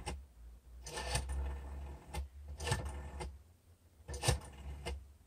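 Short bursts of quick even clicks, pause between digits, a clean rotary dial pulsing out its number normally.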